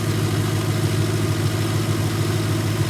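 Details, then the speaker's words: Petrol engine warmed up, idling steadily with a low hum after pulley work and a recent timing belt job; the loud belt squeak is gone, though a slight squeak was heard earlier. "The squeak went away. I can't hear it. Normally right now it'd be squeaking really loud."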